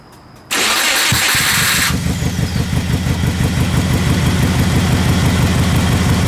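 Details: Subaru (Projet 22b) first start after cleaning wiring and intake and fixing battery connectors: fires after short crank, then lumpy wavering idle; owner suspects a vacuum leak or idle air control valve.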